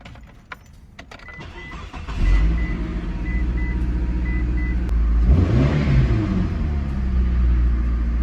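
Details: Mitsubishi Eclipse after replacing O2 sensor, exhaust manifold with cat, EGR valve, plugs, wires, coils and more; it previously sputtered at over half throttle. Keys, quick crank and catch, even idle rising smoothly into a clean rev without sputter or stumble.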